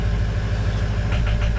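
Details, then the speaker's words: 2005 Ford 6.0 Powerstroke diesel after fixing no-start (standpipe/dummy plug update, cleaned IPR valve, new HPOP suction O-ring), morning start after glow plugs warm: starts in about two seconds, deep even idle, no knocks. "she's starting good sounds good let her ride"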